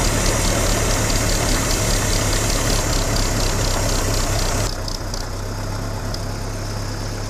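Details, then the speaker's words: Vintage tractor running on TVO after starting on petrol: steady even beat with regular low thud, quiet and smooth; healthy. "and there she's running on tvo see how quiet she is"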